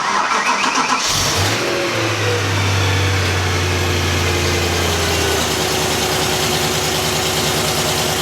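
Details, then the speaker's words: Wrecked BMW M3 rebuild, serpentine belt removed: cranks, fires and settles to a steady idle with no squeal, chirp or rattle, so the weird startup sound is gone. Power steering pump or its impact-damaged pulley is suspected. "All right, you guys just saw car starts up perfectly fine without that pulley."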